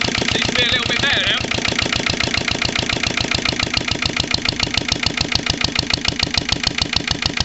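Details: Lister LD1 single-cylinder diesel on a chilly 5–6° morning after a fuel filter change: sharp knocks about three per second, uneven, a bit better after two heavy loads. Still rough running; owner suspects the injection system.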